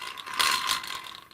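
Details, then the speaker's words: Hand-cranked Podolsk manual sewing machine: the hand drive gives a dry ratcheting rattle with a thin, steady squeak; the gears were bone dry with no oil ever, and the fix is to lubricate the hand drive. "тарахтит скрипит очень-то Ну здесь нужно просто-напросто смазать сделать смазку"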